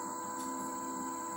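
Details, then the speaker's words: Electric bicycle hub motor spinning freely on throttle after replacing the controller and LCD as a set: steady, even high whine holding pitch, no grinding; speed display works and it is back to normal after the repair. "Coba kita gas. Nah, itu kedengaran suara dinamonya nyala. Coba perhatikan tuh."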